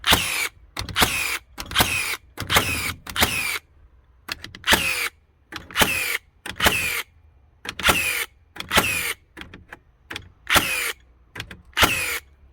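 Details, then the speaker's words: Second-gen Hikoki NR1890DCA cordless first-fix nailer in single-shot mode, driving 50mm nails: a string of sharp, forceful cracks about once a second, each cleanly driven with no stutter; firing normally. "Great quality, great power to them, as you can hear whenever this thing's shooting. I know it's only a 50mm nail, but you can hear the force whenever these things drive them. Loads of power behind them."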